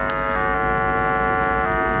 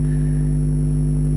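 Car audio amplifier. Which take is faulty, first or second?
first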